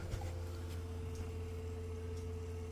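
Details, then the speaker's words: Auto-priming tractor with key on after two new fuel filters were fitted, waiting about 20 seconds before starting; a faint, steady buzz under a low hum; normal fuel priming pump buzz. "making like a little bit of a buzzing noise. That is the tractor priming itself."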